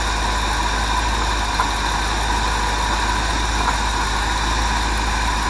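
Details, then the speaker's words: Ford 400 V8 in a 1979 F-350, now on a Holley carb and Duraspark distributor, cranks easily on a bump of the key without pumping the throttle. It settles to a steady, even idle under wind noise with no stumbling or hunting. "When a Ford is right, they crank that easy. They ain't like a Chevrolet."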